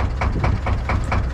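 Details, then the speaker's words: 1972 Nordan 21 fishing boat with 11hp Sabb single-cylinder marine diesel: even, regular thump about four to five beats a second with no knock or misfire; runs nicely, normal clean idle. "Men du kan høre, den går i pæn. Den går pænt, ja. Det er sgu meget fint."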